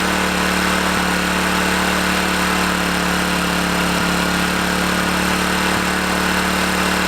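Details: About 30-year-old Honda EM500 generator running slow (around 50, below spec, owner intends to tune it up): a steady single-cylinder drone with faint pops every two to three seconds and occasional backfiring.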